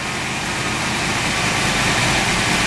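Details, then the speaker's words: 1986 Mustang GT roller 302 HO 5.0 V8: even, steady idle with no top-end tick; the loud tick heard the day before, blamed on a likely sticking lifter, is gone or very subtle; normal idle. "I don't hear it may be very very very subtle it actually sounds good now yesterday trust me there was a nice loud tick"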